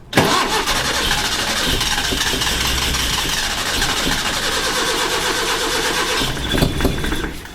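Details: Datsun engine after swapping a spark plug and HT lead, cranking with a little throttle: steady cranking for several seconds, no firing; cranks but won't start, owner suspects distributor cap refitted 180 degrees backwards.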